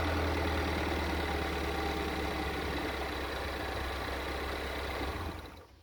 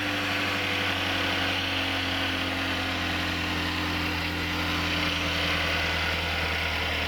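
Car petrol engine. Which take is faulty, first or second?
first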